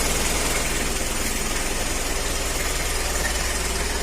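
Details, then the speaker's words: Mitsubishi L300/Isuzu Panther diesel idling steadily, about four firing pulses a second, after injection timing set to maximum on a weak fuel pump; vibration and noisy heavy thudding knock are gone, normal idle. "Ya. Getaran dan bunyi berisik itu sudah hilang, teman-teman. Jadi , begitulah pengaturan waktunya secara penuh seperti ini."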